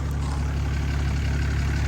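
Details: 2012 Ram 2500 6.7L Cummins turbo diesel just after fuel filter change and priming, first run: deep, even diesel rumble steady at idle without stumbling or hunting; no fuel leaks, running smoothly.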